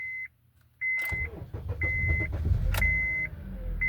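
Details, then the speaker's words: 2012 Honda Accord 2.4L with cylinder 2 and 3 misfires (P0302, P0303), first start after crank pattern relearn: a chime, then a short crank with a slight hesitation before it catches and runs evenly. This is a normal start. "it kind of hesitated while cranking so that's a good thing it um basically tells you that your crank something happened to it that's why it did a little hesit on your first time cracking it back up"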